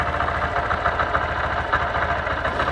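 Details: 2023 Honda CB125F single-cylinder, warming up at idle before an oil, oil filter and chain service. It ticks over with a steady, even, smooth putter and no rattle or tapping. Normal idle.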